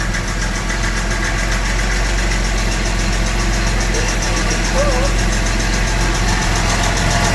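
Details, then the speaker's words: 1975 Jaguar XJ6 Series 2 SWB after a full mechanical rebuild, not started for a couple of months, idling cold on choke. Light, uneven top-end tick, three to four a second; valve tapping suspected, possibly needing re-shimming. "Oh. Sounds like it might need re-shimming a bit."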